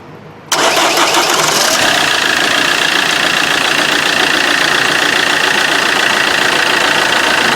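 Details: Vauxhall Corsa D 1.3 CDTI diesel after auxiliary belt area repair for a loud vibration noise: the engine catches cleanly and settles into a steady, even idle with no belt flutter or vibration.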